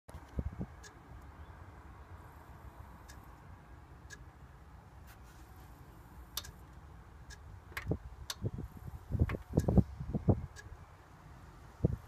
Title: Jaguar s type satnav boot box clicking sound